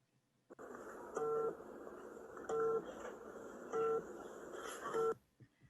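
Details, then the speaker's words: Electric kick-scooter rider warning vibrator in a quiet room: four short buzzing pulses about 1.3 s apart, cycling as designed; strong, fast pulses at distance stages 2–3 (9 m, 6 m) and weak, slow pulses at stage 1. "듣고 보시는 것처럼 패턴의 주기에 변화를 주었습니다. 거리 2, 3단계에서는 패턴의 주기가 가깝고 빠른 강한 진동을 주어 탑승자에게 보행자가 오고 있음을 알리도록 하였고 1단계에서는 패턴의 주기가 멀고 느린 약한 진동을 주어 경고하도록 하였습니다."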